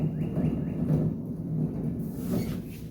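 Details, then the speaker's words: 2003 Honda Civic EX right rear wheel bearing, car on lift with wheel spinning: low steady growling rumble with faint drone; bearing is toast, hub assembly replaced. "wheel bearing is toast. So that's what we're going to swap out today."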